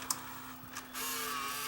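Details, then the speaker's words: Rare Sony EV-C3 8mm VCR, first power-up before restoration (failed capacitors suspected): sharp click, then a steady motor hum and smooth even whirr as the tape threads in; normal tape loading. "okay loads of tape that's a good sign that part works"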